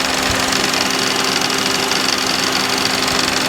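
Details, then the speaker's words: 2007 Honda CR-V idling, warmed up, A/C switched on: dry uneven rattle and faint steady whine, engine shuddering, only under load; owner suspects the belt tensioner/idler pulley behind the power steering pump, later fixed by replacing the tensioner. "and you can hear a rattling noise so I'm assuming that's going to be a tensioner problem cuz it only does it under load"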